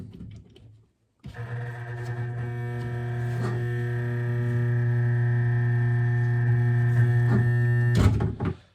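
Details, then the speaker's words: Vintage L&A pressure washer from a barn: at switch-on a steady low electrical buzz holds for seven seconds, but the motor never turns. The noise comes from the controls, like a solenoid; the cause is not yet found. "Okay, so the noise is not the motor trying to turn. The noise is coming from somewhere over in the controls. It's like a solenoid."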